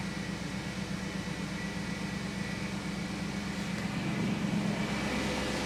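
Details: 1994 Mercedes E500 V8 cold start at about 30 degrees in Chicago after reassembly: catches and settles into an even, smooth idle with no misses or knocks.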